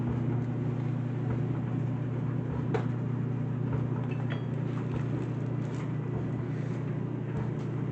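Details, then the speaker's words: Whirlpool Duet steam dryer WED9500TW, Normal cycle, load of colors: steady low motor hum with soft, irregular thuds of clothes falling in the drum, nothing grinding or squealing. Owner reports no issues and says it is not very loud; normal tumbling. "Yep, so I've never had any issues with it, and the dryer performs really well, and it's not very loud."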